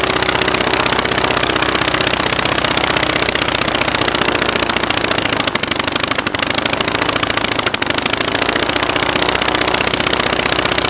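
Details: Rebuilt Praga B2 aero engine, last run 1939, on Vauxhall test rig with propeller, timing advanced: loud fast fairly steady firing beat with brief dips; normal running.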